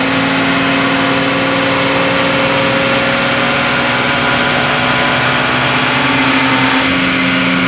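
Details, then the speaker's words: 1966 AMC Rambler American, stock 199 cu in straight six, on a chassis dyno during a full high-rpm pull: a steady high-pitched squeal rides on top near the end of the run. Not belt slip; the source was never found. "do you hear that squealing sound right before the end of the Run it may sound a little bit like belt SLP on camera but that's not what it was we never did figure out what exactly was making that squeal"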